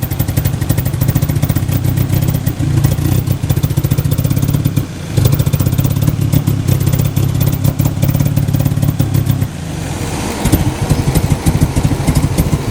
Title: Toyota MR2 Rough Idle